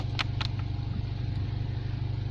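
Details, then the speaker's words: Nissan Bluebird first start after head gasket and water pump replacement, jump-started, fuel added to carb; starter churns steadily with faint hints of firing, never catches; crank no start, ignition timing suspected way off. "that doesn't sound like it's going to start well we keep on trying bit of fuel in the carb"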